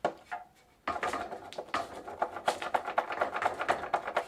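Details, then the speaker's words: Old Dutch Phoenix Mentor single-speed bicycle, stretched chain checked: light, uneven tapping a bit over once per second as the wheel spins; owner thinks the chain is too loose and slapping the chain case. "i think the chain is too loose and hitting"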